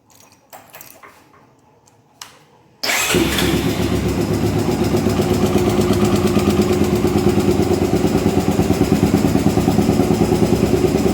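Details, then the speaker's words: Honda Twister 250 motorcycle single at idle: steady tapping about three per second from the top end, which fits loose cylinder head bolts; cam chain and tensioner suspected. "e aí galera é a soltar um vídeo rapidinho para vocês aí tu está fazendo um barulho na parte de cima"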